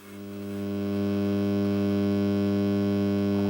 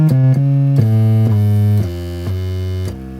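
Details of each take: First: Akai X7000 sampler keyboard before power supply capacitor replacement: steady low buzz of even hum tones at the line outputs, swelling as volume is raised; suspected failing power supply capacitors. Mains hum. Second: Akai X7000 sampler after recapping power supply board to cure line-output hum: clean synth notes stepping down, decaying to quiet with no low hum at full volume; normal audio output.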